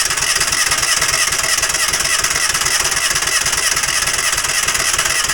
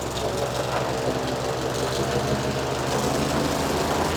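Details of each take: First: Falcon 4-stroke paramotor trike fitted with new NOCO NLP14 lithium LiFePO4 battery: steady fast cranking with an even churn about six seconds, never catches; cranks but won't fire. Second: Falcon four-stroke paramotor trike just fitted with a new NOCO lithium LiFePO4 battery, restarted after a gas tank flush: steady, even idle with a smooth fast beat, no misses or knocks; normal, healthy idle.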